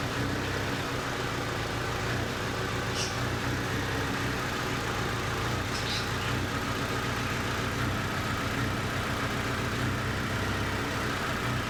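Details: 2008 Hyundai Sonata 2.4 petrol at idle: low, slightly lumpy beat with an occasional stumble; cylinder misfire, cause not pinned down (coils, plugs, fuel or sensors possible).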